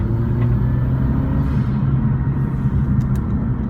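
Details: Mazdaspeed6 under heavy acceleration: a deep rumble with a loose rattling chatter that follows throttle, from exhaust gas hitting the turbo heat shield; exhaust manifold to turbo flange had come loose with nuts seized to the studs, fixed with new studs and nuts.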